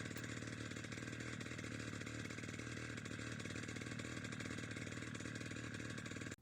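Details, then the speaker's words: Wick 375 high-pressure fire pump engine after a cool-down idle, with the fuel line disconnected so the carburetor purges its remaining fuel. It buzzes at a steady high speed, then cuts out abruptly as the carb runs dry. "turn the on/off switch to the off position or if you'll be transporting or storing the pump then disconnect the fuel line and allow the carburetor to purge all remaining fuel"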